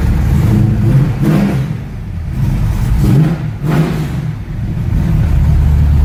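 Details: 1969 Ford Mustang V8, in neutral, first start in about six months: two clean rev blips that rise and drop back to a steady idle without stumbling or hesitation; healthy.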